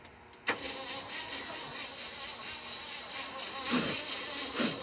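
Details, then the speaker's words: 1967 Ford F-250 truck being revived: starter spins the engine over with steady, even cranking pulses but it never catches; it had been dying, a fire stopped when cranking stopped; weak spark from a hot coil suspected, unconfirmed. "it stopped when you stopped cranking it stopped burning maybe the coil got hot and now it's not giving a very strong spark"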